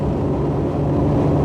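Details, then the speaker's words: Supercharged 2002 Nissan Xterra at almost 80 mph after repairing an exhaust leak and refitting the supercharger belt; steady low engine drone under road rumble, no hiss or whistle, exhaust sealed and running normally. "I'm no longer having exhaust leak so anyway it's not making the noise now and I've got the supercharger belt back on"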